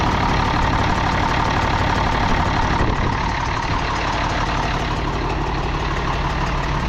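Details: International D282 diesel in a Galion crane with a rebuilt Roosa Master DBG pump, idling cold with a lumpy beat of about three exhaust puffs per second. It runs poorly until warm, and the owner suspects a burnt valve or cracked valve seat on cylinder 1.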